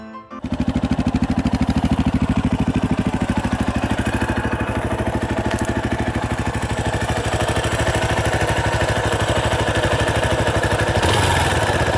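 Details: 2018 Yamaha Tricker XG250 (the stock cam chain tensioner is automatic): steady single-cylinder idle, about three even beats a second, no tapping or rattle from the top end; runs quiet and healthy.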